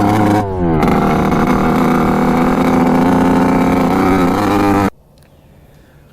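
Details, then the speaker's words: 1986 Kawasaki KX125 two-stroke dirt bike on its first ride; a blubbery, sluggish note that never reaches the power band and lacks power. The owner suspects a fouled plug. "but then i hopped on it with the gopro and of course it just like does not hit the power band doesn't have any power"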